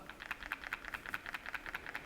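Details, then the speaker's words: Xiaomi 14 Ultra smartphone being shaken: a loud, quick light clicking rattle, about eight per second, from loose parts inside the body. "sie klappert und zwar ziemlich laut jetzt wird vielleicht der ein oder andere sagen das ist komplett normal mein Smartphone klappert auch"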